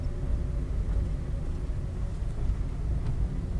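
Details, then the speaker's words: Daihatsu Sigra (type M) on test drive after dashboard repair: low, even road rumble in cabin, no ticking or buzzing from dash; cause likely wiring under dash contacting a panel, rattle gone. "Alhamdulillah sudah tidak ada lagi suara di sini ya ini posisinya kami tes jalan dan ini tidak ada lagi suara"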